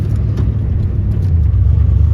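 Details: OBS Ford truck after swapping the whining power steering pump for a Saginaw-style 1990s Econoline van pump, bracket and hose; engine idled up, only a low even rumble while turning, no pump whine, steering healthy.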